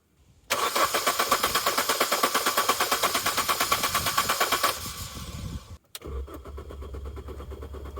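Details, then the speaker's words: Salvage R50 Mini Cooper, half tank of fuel, engine management light on: steady rhythmic cranking around three turns a second for four seconds, never firing, no fuel pump priming hum; crank no start, fuses to be checked next. "turns over fre really but no nothing not even firing in fact I can't even hear the fuel pump priming okay the Salvage description was correct turns over freely but it definitely doesn't start the fuel pump's not priming"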